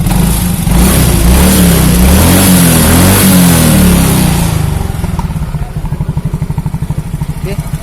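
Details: Yamaha Mio J scooter engine with rattly, harsh revs settling into a choppy idle with a coarse knock; suspected worn piston rings or a loose internal part from late or improper oil changes, possibly low oil with thin exhaust smoke; not yet opened.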